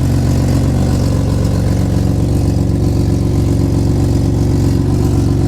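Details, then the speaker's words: Nissan Skyline R33 RB25DET at idle after a power steering hose fix: a low, steady rumble with no whine, the reservoir fluid now still instead of jumping around, only a little froth left; the pump is quiet and normal. "That's super quiet. I mean, I don't know if you remember when I was showing you previously, the fluid was jumping around in the reservoir bottle like this."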